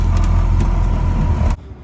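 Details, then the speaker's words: Rebuilt First Gen: deep, even idle rumble with no knocks or misses, then a clean cut-off; runs smoothly and quietly after the rebuild, normal idle. "Let's get her licked, boys. She's running like a fucking pocket watch."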